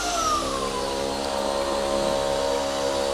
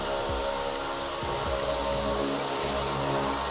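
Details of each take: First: DRYFT floor scrubber-dryer suction motor with the tank on: a steady high whine that barely changes pitch when the suction hose is squeezed; suction loss, machine not sealing properly. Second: DRYFT floor scrubber after fitting a softer suction/tank seal to cure poor drying and liquid thrown out the sides: steady, even suction motor roar with no surging or dropouts as the seal pulls down; the suction is running normally.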